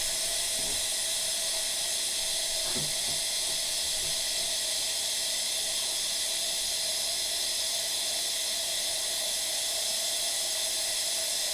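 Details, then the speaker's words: A.O. Smith water heater being refilled: steady even hiss with no knocking or gurgle as trapped air escapes the line; the tank is not yet full but close to full. "But I can hear the air coming. So it's not quite full yet, but you can hear the air coming out of it."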